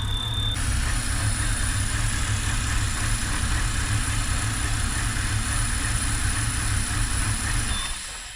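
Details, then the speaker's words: 2007 BMW X3 3.0 six-cylinder N52 with rough running and a squealing crankshaft main seal pulling air into the crankcase: uneven, lumpy idle for several seconds, then the engine sags and dies; engine stall. "and there it's stalled out good we got it we got it on camera"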